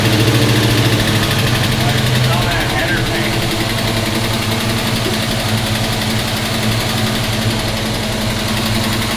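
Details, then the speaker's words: 1971 Pontiac GTO first start in 5+ years, new gas tank: deep, steady V8 idle with an even beat, no knocks or misses, settling slightly quieter after a few seconds; 60–70 psi oil pressure. Normal idle. "alright guys so there it is runs was making what did you say claims 60 70 pounds oil pressure 70 when it was running so that's pretty good"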